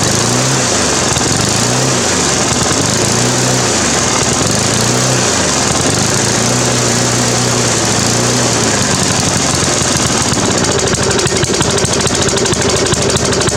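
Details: Briggs & Stratton 350 Classic mower engine note swings up and down every second or so, steady hunting, after replacing governor springs and carb diaphragm and gasket; cause is a cracked fuel tank under the carburetor joint.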